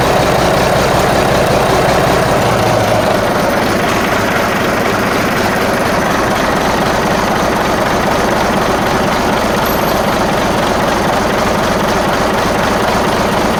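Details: Marmon 57P Aero truck, newly installed diesel engine at first start after fueling injectors: loud idle with uneven, lumpy beat instead of a smooth chug; sounds like a cylinder or two missing, cause unconfirmed.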